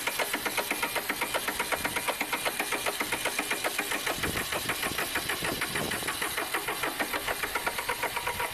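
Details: Massey Ferguson 1010 tractor diesel on a cold start during radiator replacement, air cleaner full of dust: uneven, stumbling pulses and a lumpy beat that never settles; running rough, cause unclear.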